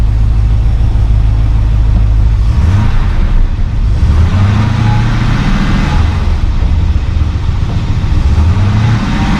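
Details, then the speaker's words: 1972 Mercedes-Benz 280SE 4.5L V8 with D-Jetronic injection, restart test for suspected vapor lock: brief rev then deep even rumble with no miss or stumble; settles right into a nice warm idle. "there we go sells right in a nice idle"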